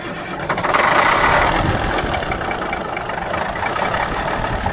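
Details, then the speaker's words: 1977 Mack R-model diesel, lines cracked loose, gives a long steady crank at three to four turns a second with no catch. The owner thinks fuel pressure is now plenty and suspects other problems, possibly a stuck kill switch. Cranks, no start. "nothing we got other problems I think we're getting plenty of fuel pressure now"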